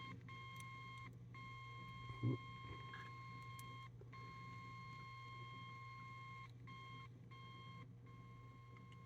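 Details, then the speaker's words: 1958 Ever Ready Sky Leader radio after IF strip alignment: steady ~1 kHz test whistle with fainter upper tone cutting in and out over mains hum, still audible down to about -48 on the input, gone at -49; weak signal received. "44 I can still just about here it with the volume up 45 is something there 46 just about audible 47 you can I can hear it don't know if it's coming across on camera 48 I can kind of hear it"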